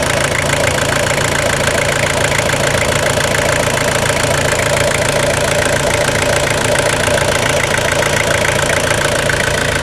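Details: Toyota Hilux SR5 2.8 diesel (2000/01) after a full revitalization service: even, steady diesel clatter with no misses or stray knocks at a smooth, settled idle; normal diesel idle.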